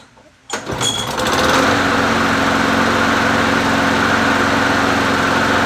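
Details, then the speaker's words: Bolens 22-inch 4.5hp Quantum push mower, formerly a non-runner: starts and settles into a steady high buzz with a rough shaking throb underneath; the owner thinks the blade needs sharpening and balancing. "yeah we probably need to balance it it's probably need to be uh sharpen and balance"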